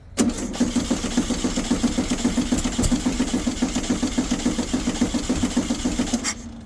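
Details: Abandoned VW Baja Bug race car after a new coil was fitted, cranking rhythmically with a few catches that never hold before falling silent. It is pumping fuel and has spark, but dirty plugs are suspected.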